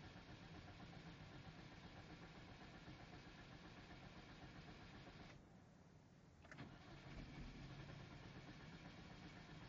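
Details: Hyundai Genesis Coupe 2.0T Track (owner's own coupe) intermittently cranks but won't start, about once every 2–3 weeks; starter churns about four beats a second for several seconds with a brief pause, engine never fires.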